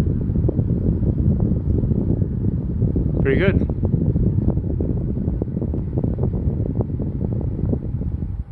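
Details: MrCool 18k BTU DIY single-zone mini-split outdoor unit heating in a blizzard (Winter Storm 2022), after defrost cleared ice; steady low fan hum, soft even air rush, no rattles or knocks; normal heating operation.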